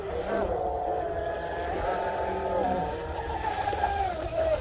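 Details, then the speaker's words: Rebuilt Pro Boat UL-19 30-inch hydroplane, Castle Hydra ESC, Oxidean Marine 4082 motor, SMC packs warmed up: high clean motor whine steady at full trigger, sliding on the pass; smooth run, estimated at least 70 mph. "oh those are a couple good passes those were at least 70 mile an hour at least at least 70."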